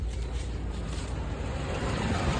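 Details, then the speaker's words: Van started after sitting a long time, fuel system still good: steady low rumble with even beat, no knocks or squeals; normal idle, though owner says it sometimes shuts off, unsure if electrical or fuel. "You hear that? This [ __ ] thing's running,"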